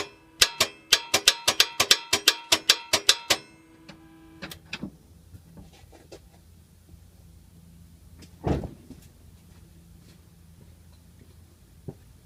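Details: 2010 Toyota Sequoia 5.7 V8, microphone near the starter: quick run of about a dozen sharp clicks, then one duller clunk, engine never turns over; starter diagnosed as bad.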